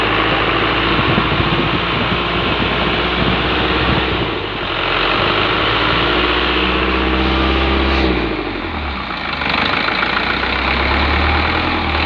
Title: 4HG1 Engine abnormal sound due to idale wheel damages